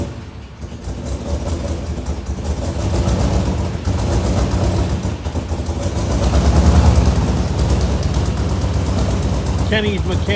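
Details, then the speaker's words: 1967 IH Loadstar 1600 shop truck V8 during overhaul, being tuned to idle: lumpy, wandering idle with uneven beats and surges; after a massive backfire, manifold vacuum leak through the carburetor plate gasket, rough idle from vacuum leak. "So, we uh had a backfire. We're getting a manifold leak. Manifold leak through the carburetor plate"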